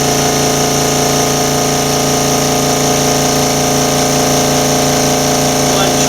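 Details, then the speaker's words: Newly acquired Makita MAC700 air compressor during break-in after adding compressor oil, pressure switch on and pressure building to forty: a steady, quiet, even motor hum with no knocks; it later cuts out a little past 1:30 as it should. "pressure building forty hear how quiet it's running one of the finest"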